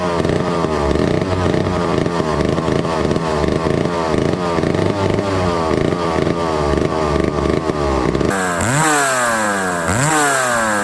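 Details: 1962 McCulloch 1-46 chainsaw, revived after lacking its carburetor and other parts: two-stroke buzz runs steadily, then climbs and falls cleanly through several quick revs without stumbling; runs healthy.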